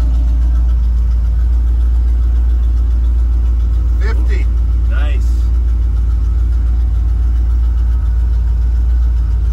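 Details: Small-block Chevy V8 after swapping a leaking adapter for a Transdapt oil filter adapter with a PH8 filter, just started, before warm-up: deep, steady idle with an even beat and no knocks, ticks or misses; running smoothly, no oil leak.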